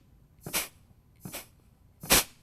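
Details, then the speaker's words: Rebuilt 722.9 automatic transmission on bench, compressed-air check of K1 clutch before valve body install; three short sharp hisses cut off cleanly, air pushing nozzle off, very tight seal. Normal clutch air check. "you can hear it you can see it's pushing the nozzle off that's a real real tight seal right there that's really great"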